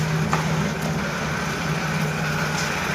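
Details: Jaguar F-Type V6 that had cylinder 1–3 misfire codes despite overhaul, new timing chains, coils and plugs; idle with suspect fuel rail pressure sensor not connected: steady, even low hum, no vibration or hunting; normal idle.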